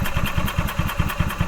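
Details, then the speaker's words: 2012 EZ-GO TXT gas golf cart, crank no-start with fuel smell: compression test cranking at regular, even, strong pulses about five a second, reading 145 climbing to 150 psi; good compression. "all right so we got 145 and it's clim in 150 psi which is great it's good compression's good"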